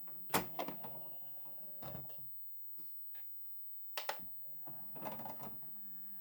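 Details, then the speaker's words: Replacement SureFeed Microchip Pet Feeder: a few short motor whirrs and soft clunks as the lid swings and settles, no scraping or grinding; sounds much better than the noisy original. Normal lid operation. "And yeah, it sounds a lot better than the last one."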